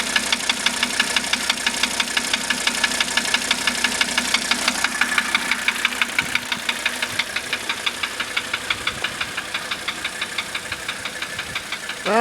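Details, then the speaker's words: 1985 Mercedes 300D diesel, just running again after a starter rebuild, valve adjustment, new glow plugs and a diesel purge: a sharp, regular ticking knock of about ninety per minute over a steady idle; cause not yet found. "But it's got this tip when it runs. Obviously, you can hear it."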